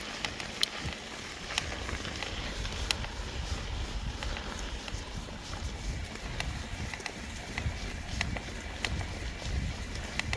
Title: Trek Fuel Ex-e cracking / creaking noise #1